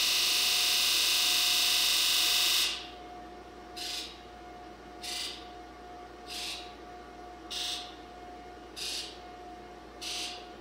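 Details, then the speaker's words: 2002 Ford F-250 7.3 diesel, key on with charger, after reinstalling the IDM and valve cover gasket: long continuous buzz then evenly spaced injector buzzes about a second apart; normal buzz test, no codes. "sounds good survey says no codes let's try one more time"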